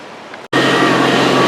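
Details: Honda Civic (1992-2005) petrol engine idling right after exhaust system replacement with new gaskets, bolts and lock washers, hangers refitted; steady even hum, no ticking or puffing, normal quiet exhaust.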